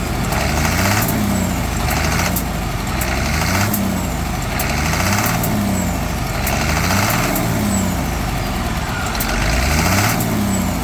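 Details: Diesel truck engine, run out of coolant and overheated, blipped repeatedly at an auction pre-purchase inspection: sharp knocks on each rev-up under acceleration. Engine knock from overheating damage; no engines or rebuild kits available locally.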